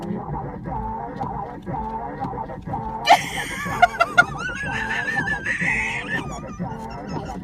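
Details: Battered island rental mini-van, heard in the cabin: a high, warbling squeak repeats about once a second with each wiper sweep, the wiper blades squealing against the cracked windshield.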